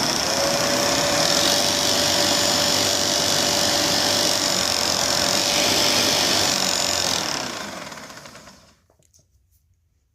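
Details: Bissell TurboClean PowerBrush Pet carpet shampooer: loud motor whine with fast steady ticking of nearly four per second fading on spin-down; brush belt frayed and worn, changing the belt was the fix.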